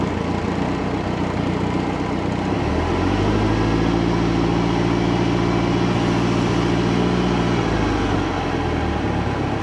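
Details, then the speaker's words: 1967 StarCraft Holiday boat sterndrive engine, first start of the year after spring tune-up, warming up with water circulating: smooth, even low hum holding steady, no knocks or clunks; quiet, healthy idle. "running like a sewing machine man engine is so quiet"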